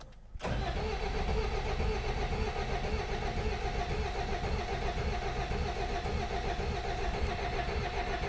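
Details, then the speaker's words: Peugeot 404 diesel pickup after sitting years, started after bleeding injector pump and injectors: uneven lumpy chug as if on only some cylinders; owner suspects only two front cylinders firing, fuel not bleeding through properly. "I reckon that's definitely me two cylinders that work all right and gained come on P button up heating free Lander slowing down lot of heating hit it come on you're almost there more Heating definitely me two front cylinders I reckon"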